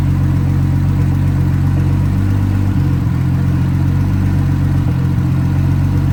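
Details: Nissan R32 RB20 straight-six, first start in 3 years, open downpipe with no exhaust: loud, steady idle with a deep, even rumble and a couple of brief dips, no knocks or ticks; engine sounds healthy, normal idle.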